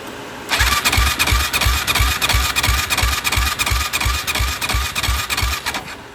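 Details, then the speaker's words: Yamaha YFZ450, suspected blown head gasket with coolant bubbles and smoke while cranking; dry compression test at full throttle: steady cranking about three pulses a second, soft even compression beats, no catch; only about 20 PSI, far too low. "This is tight. Yeah. Not even 25 PSI. What is that? Um like 20 PSI. That is not good."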